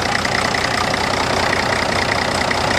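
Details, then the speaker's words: Old Case tractor used as a mower, big engine at idle; steady even idle with busy mechanical chatter, no misses or knocks, doesn't smoke even cold; healthy motor with good compression. "so pretty healthy motor sounds like it's got good compression everything"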